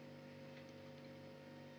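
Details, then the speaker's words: Single-door refrigerator with heavy freezer ice buildup, still plugged in before cleaning: quiet, steady low compressor hum with constant pitch and no rattles or clicks, running normally until the thermostat is turned off. "Biasanya ibu-ibu kalau cuci kulkas pasti dicabut dari colokan untuk supaya kulkasnya mati. Seperti sekarang terdengar masih suara kompresor."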